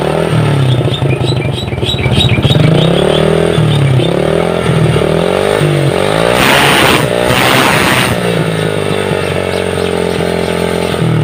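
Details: Honda Supra Fit motorcycle engine revved up and down, smoking heavily from exhaust: hard metallic clatter getting louder and sharper with throttle; crankshaft bearing knock.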